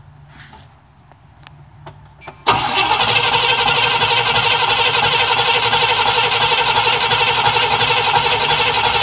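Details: Cadillac Eldorado, cold: steady starter cranking at about three turns per second with no firing at all; a crank-no-start that the owner believes is flooding, and the trick that worked last week failed.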